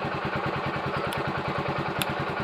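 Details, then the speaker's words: TVS XL100 moped started after a battery fix: small single-cylinder putter at about ten even beats per second, steady and smooth with no misses; normal idle, no problem. "তো গাড়িটা start হয়ে গেল, তার কোনো সমস্যা নাই আশা করি।"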